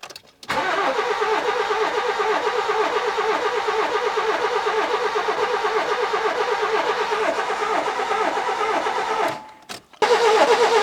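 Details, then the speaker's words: 1992-2002 Nissan Micra K11 1.0L crank no start, no spark found, later fixed by replacing the ignition module: about nine seconds of steady cranking, two to three beats per second, never catching; owner wonders about low compression on one cylinder. "I just want to mention that the cranking sound is making me a little bit worried because it's so it sounds like it's either is trying to fire up or we have a low compression situation on one of the cylinders"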